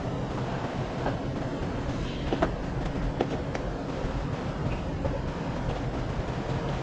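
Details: Jeep diesel after replacing the glow plug module for hard starting: starts and settles into a steady, even low rumble with no misses or knocks; normal idle.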